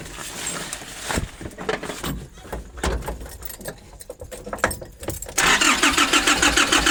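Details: 2005 Nissan Urvan diesel, cold, sat for years, diesel pump pipes and bolt replaced, priming fuel filter: clunks of work on engine, then even starter cranking about three turns a second with no firing; fuel starvation.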